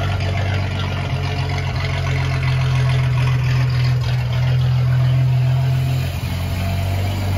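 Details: Ford 300 inline six, first fire-up with newly finished turbo header and open exhaust cutouts: deep, steady, smooth exhaust rumble with no misses, ticks or leaks; normal exhaust note.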